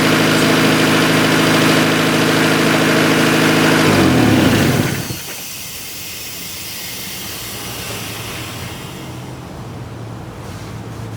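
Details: 1990 Honda CRX DX engine held at a high, steady idle with even whirr before dropping off; vacuum leak suspected near brake booster (hiss heard there, smoke test), also bad gas mileage; fast idle, unconfirmed.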